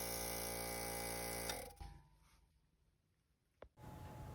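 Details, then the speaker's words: Sinko air compressor not making pressure: pump hums, then constant hiss of air leaking at the bleeding (unloader) valve, stuck always open, apparently due to a bent spring inside. "Today we have sinko and we turn it on and it's not making pressure at all. And you can hear it's leaking here."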